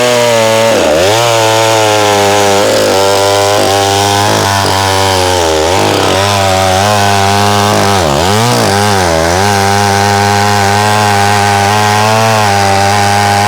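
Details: McCulloch SP-125 chainsaw with .028 jet, cutting as it gets warm: hard revs sagging and surging repeatedly, as if starving for fuel; owner suspects lean jetting; will fit .029 jet.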